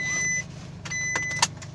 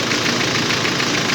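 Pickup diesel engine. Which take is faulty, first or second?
first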